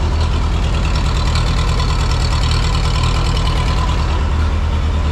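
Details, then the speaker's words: 1952 Harry Ferguson TO20 tractor, run rough since running out of fuel, suspected junk in the Marvel Schebler TSX carburetor. Low, heavy, uneven idle stumbling about two pulses a second; rough running. "it's not happy we're going to pop the marble carburetor off and go through it quick"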